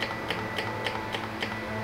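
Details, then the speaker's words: Honda Ruckus at key-on, engine off, low fuel with tank tilted, after carb jet cleaning: light even ticks about three or four a second; electric fuel pump priming normally. "turn the key let the fuel pump pump a few times there's not a lot of gas in here so i have to tilt the tank okay so i'll keep turning it pumps a bunch of times turn the key off turn it on let it pump a few times"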